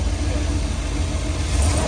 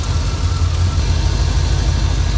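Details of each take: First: Prism Supply 4x4 van V8 after the burnt plug wire, probably arcing against the manifold, is put back on: deep, even burble with no stumble or skip, smooth now that all cylinders fire; normal idle. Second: Prism Supply 4x4 van V8, rough only at low rpm: uneven, stumbling low thump at idle with a beat dropping out now and then; a burnt-out spark plug wire, probably arcing against the exhaust manifold, causing a misfire.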